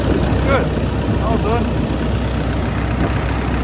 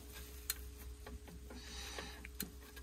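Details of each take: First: 140-5 forestry machine diesel after replacing a knocking failed belt tensioner bearing and refitting the belts: even, steady low rumble with no squeal or chirp from the belts; engine healthy and settled after repair. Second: Forestry machine 140-5 diesel idling in the woods: uneven light knocks and ticks over the hum, with visible movement at the failed belt tensioner bearing; tensioner replaced.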